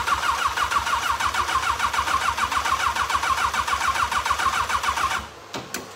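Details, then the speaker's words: Race car with freshly swapped motor, first start attempt after installing it in the chassis: steady starter cranking at about three and a half turns per second with no catch, then stops; carburetor likely flooded. "I think we got it flooded we're gonna check something out be right back with you"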